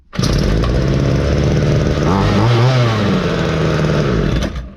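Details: Ryobi LT2 two-stroke petrol trimmer after repair, with a cleaned spare foam air filter fitted and strong compression: fires up and holds a crisp, even buzz with a quick rev in the middle, no sputter; running right.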